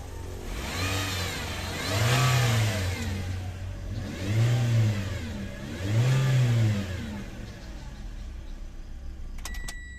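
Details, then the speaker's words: 2017 Toyota Vios, noisy once warm, oil not circulating: three throttle blips each bringing a heavy droning hum that swells and fades with revs; mechanic suspects the oil pump, not confirmed. "Ayan Yan oh lakas oh lakas ng Ugong"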